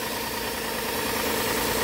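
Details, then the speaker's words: 2007 Hyundai Santa Fe, 2.7-liter V6, automatic, 214K on the odometer, idling otherwise fine under a constant airy hiss of air sucked through a vacuum leak, possibly a busted line. "There's a vacuum leak somewhere in here, so you can hear it sucking air."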